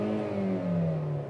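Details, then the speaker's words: Engine at 56 °C coolant temperature, read via OBD-II ELM327 with Torque Pro, throttle pressed: pitch climbs smoothly as the throttle body opens, steady and even with no misses; healthy rev. "Il monte au régime Il va jusqu'à au tour, l'ouverture du corps de papillon augmente"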